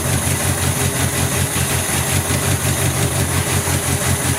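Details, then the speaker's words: 1970 Opel GT barn find, first start in about 30 years after a carburetor change, wet fuel spitting: engine runs with an uneven, lumpy, missing idle. Rough idle; owner suspects bad plugs (receipt from 1986) and points needing cleaning. "hey it's running it's rough it was idling though it is rough"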